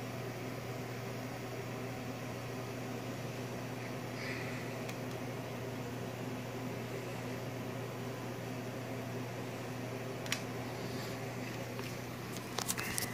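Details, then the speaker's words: Modified APC Smart-UPS 1500 sinewave inverter upgraded with 6-gauge wiring, powering a heater at about 1400 W (about 75 A at 24 V): a steady low hum with the fan running. Hot battery connectors around 80 degrees are the suspected source of the hum. "it's humming away though but the fan is staying on"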